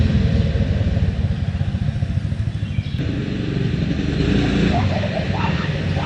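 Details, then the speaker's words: 6.5 hp Predator clone single-cylinder on a springer bike, after carb rejet and reassembly: loud, fast thumping idle, a bit choppy but picking up cleanly on throttle. Owner impressed; apparent missing thought to be just the exhaust note. "yes sir I'm impressed I am impressed I uh I like to wait idols I like the way it responds it does sound like it's missing but I think it's just the exhaust note"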